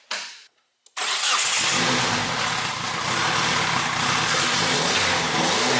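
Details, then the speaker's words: 1G GSX big-turbo AWD build, Mitsubishi 4G engine after going back to factory-style four-output coil pack with spark plug wires: cranks briefly, catches and holds a steady even idle with no misses; sounds fully firing on all four, normal start and idle. "sounds like a fully firing 4G to be"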